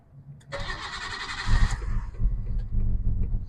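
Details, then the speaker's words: Nissan R33 Skyline with existing idle issue, restarted after spraying part with brake parts cleaner; brief crank then stumbling, lumpy idle that never settles, runs fine after several restarts; rough running, cause unconfirmed. "Oh, same problem. Come on. Come on. Not sure if you can hear this thing. That's terrible. Shut it off because that sounds bad."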